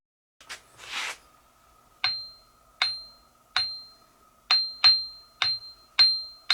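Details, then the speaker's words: Ring test on Craftsman 1/3 HP bench grinder wheels (6 in by 3/4 in) during rebuild: each tap gives a clean, lasting bell-like ring rather than a dead sound, so the wheels are uncracked. "hold so both of those Wheels ringed just fine uh if they had cracks in them they would have a dead sound to them which they didn't they ring so we don't have to replace them"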